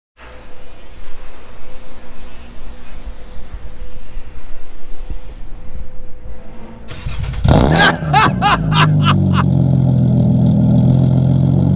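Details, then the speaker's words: Nissan Maxima with a swapped 75,000-mile engine, on the old muffler before its replacement, engine already warm (it was louder when cold that morning). A harsh, loud blatting rasp on revs settling into a heavy drone; the muffler is doing very little. "obviously the mode is already warm so you couldn't hear super loud how it was this morning at work it was pretty pretty bad"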